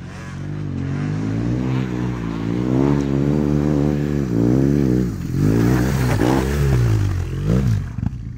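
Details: 2005 BMW HP2 boxer twin, after service following the 2022 Bosnia Rally: twin thump rises and falls cleanly through several throttle blips, no clatter or hesitation; running properly again.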